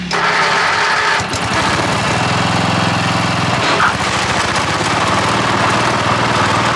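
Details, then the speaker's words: Cub Cadet 1015 with 32-inch deck after new double-pulley bearings and 3D-printed spacers: the engine runs at steady speed with a smooth drone and no bearing growl or squeal. The bearings are quiet and smooth. "managed to mow with this mower a few times since I changed those bearings, and so far they've been nice and quiet and working smooth."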